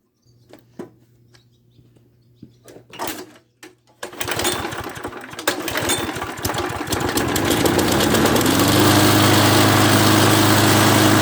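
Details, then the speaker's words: Craftsman lawnmower, running after a carburetor-cleaner spray: a few weak pulls, then it catches and settles into a steady, even drone with no misses. It runs normally; only a cable still needs lubing. "So the mower runs pretty good. It's pretty much ready to sell other than that cable."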